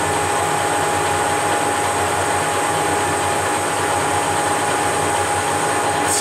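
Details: Leveled Whacheon 17x40 gap bed lathe with taper attachment, DRO and quick change tool post test-cutting steel: constant hiss with one steady high tone, no stutter, chatter or hesitation through the cut; normal cutting.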